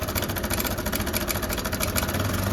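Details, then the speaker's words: TVS Apache RTR 160 BS6 single-cylinder idling: busy clattering rattle that clears when revved and returns when throttle is released; slack timing chain, fixed by timing chain replacement. "देखिए आपसी RTR 160 bs6 model है और अभी यह bike start है engine की आवाज एक बार आप सुनिए काफी ज्यादा आवाज काफी ज्यादा शोर कर रहा है"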